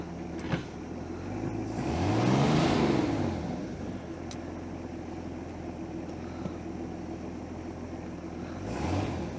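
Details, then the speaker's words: 1973 Cobalt boat with a 165 hp Mercruiser inboard, at fire-up: an even idle of about four beats a second, with two clean throttle blips that settle back; a healthy idle. "so that sounds pretty good let's go to the lake just hang on"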